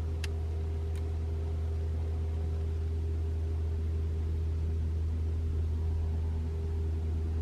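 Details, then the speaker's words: 2021 Toyota RAV4 Prime SE starting in EV mode with the battery fully charged: only the low steady hum of the heat pump, without the loud noise being tested for. Normal operation. "all right nothing I can hear the humming of the heat pump but it didn't make the loud noise okay maybe we didn't wait long enough"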